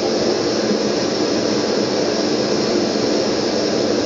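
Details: Brunton Vesta backpacking stove, designed only for LP gas, running on its LPG canister for comparison after emergency liquid-fuel use: even, steady rushing roar with no sputter, pops or surging and no visible yellow flame; burning clean and normal.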